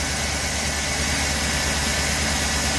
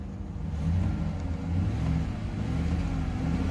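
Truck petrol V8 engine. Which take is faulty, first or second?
second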